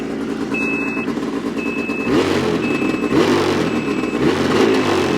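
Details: New 2026 Ski-Doo MXZ 600 EFI Sport 129 put into reverse at a quick-revving idle: a thin high beep repeating about once a second. The reverse warning beeper is working normally.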